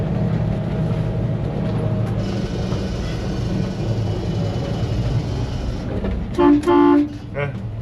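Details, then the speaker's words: 1961 GMC COE truck bought at online auction, heard from inside the cab while driving: rumbling cab noise, then two brief air horn blasts and a shorter third toot; air horn works. "air horn works."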